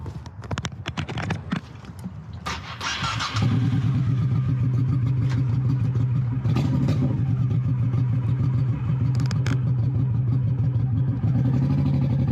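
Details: 21-year-old Honda Shadow V-twin with a new Vance & Hines exhaust, baffle repacked with new fiberglass: catches after a few cranks into a deep, steady, even idle, tamer and less raspy. Normal start and idle.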